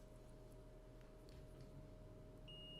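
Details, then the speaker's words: Multimeter set to continuity mode, probes touched together to check it before short-testing a water-damaged phone board: quiet hum then one short steady high beep; normal continuity beep. "So when I put the probes together, I should hear a beep."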